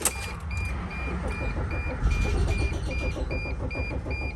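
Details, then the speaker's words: 2006 Dodge Sprinter van on tow strap in neutral, crankshaft position sensor fault blamed: starter churns at a steady three compressions a second but never catches. Crank no start. "Nope, same deal."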